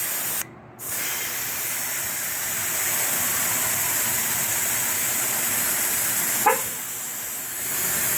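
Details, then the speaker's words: Chevy Silverado TPMS relearn, park lights on, air let out of each tire in order starting with driver's front: steady hiss of air bleeding from the valve, then a short horn chirp confirming the sensor is learned. "now we're going to go around to each tire and do the same thing in the order all right now that we got the beeps from each tire we're going to go back in"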